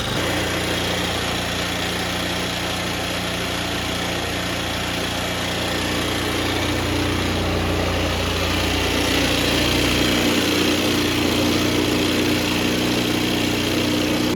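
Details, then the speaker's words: Old Bajaj Pulsar single, first start after carburetor refitted, on a very cold day: uneven, lumpy idle pulsing about three times a second, runs only on choke and stalls on acceleration; carburetor out of adjustment, needs setting. "चल तो गई पर अभी ऐसा है कि carburettor की setting करनी पड़ेगी क्योंकि सिर्फ चौक पर चल रही है और एक्सीलरेशन करने से बंद हो जा रही है"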